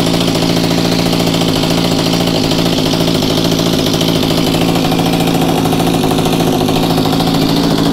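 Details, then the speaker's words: Mantis two-cycle tiller, with a dirty primer bulb, hardened fuel lines and good compression, after a pull-start: uneven, burbling, lumpy idle with no crisp rev and heavy muffler smoke; runs rich. "[Applause] as you can tell it probably was meant to run in the highlands of colorado based on how much smoke came out of that muffler but it is running"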